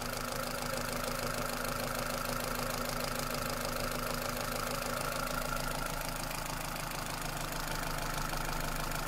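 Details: Toyota Celica with 2ZZ engine at idle: a rough tapping knock of about three beats a second; source of the knock not pinned down.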